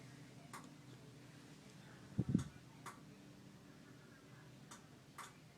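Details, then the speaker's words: Samsung PN43D450A2D TV with power light on: faint sparse clicks a second or so apart as the relay clicks, but the set stays dark and never turns on. "I can hear the relay clicking, but it's nothing turning on."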